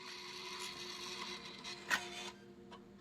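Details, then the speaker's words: PS5 disc drive, on a console bought with a fan running full speed: loading mechanism whirs and rubs with one sharp click, but no spin-up whine follows, so the disc is not spinning. The disc was possibly inserted upside down. "all right so we're not getting any disc spin"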